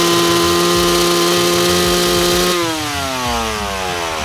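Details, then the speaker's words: Two-stroke bike with the main jet set correctly, slightly safe for longer races: crisp, steady high-rev scream that holds clean, then falls away smoothly with no bogging or spluttering; normal rev with correct jetting. "having the bike set like that with the main jet means it's just a bit safer for the longer races"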